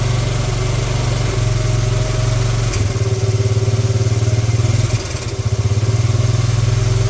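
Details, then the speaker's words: 1986 Honda TRX70 first start in years: small single-cylinder putters at a regular idle, dips briefly, then picks back up and holds steady; it runs. It is leaking fuel. "all right well there we have it it actually runs"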